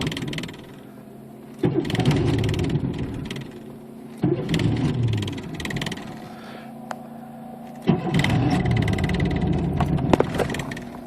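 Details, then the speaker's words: 1992 Chevy Camaro third-gen V6 that runs bad despite new pressure regulator, cap and rotor and a cleaned idle air control valve: three long cranks, each catching briefly and stumbling before dying; usually needs five to six tries, worse when cold. Hard starting, rough running. "it usually takes between five to six times of turning a key depending on how cold it is outside and it used to catch a little bit quicker when I didn't mess but before I started messing with the idle air control"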